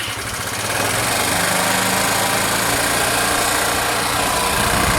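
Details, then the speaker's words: Znen ZN125 T-E scooter after oil overfill fix, new O-ring and replaced cracked vacuum and overflow pipes, running with airbox removed: steady busy buzz held well above normal idle; high idle from no air restriction. "Yeah, that's with no air restriction at all. That's well up. That's a happy wee bike."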